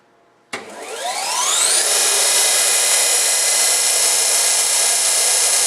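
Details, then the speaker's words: Heald 271 Gage-Matic internal grinder, believed 1980, reconditioned, 17,500 rpm Red-Head grinding spindle, motor apparently rebuilt: high whine climbs smoothly for about 1.5 seconds then holds a clean steady pitch; normal spindle run. "You can hear the spindle. Even the motor looks like it might have been rebuilt or reworked."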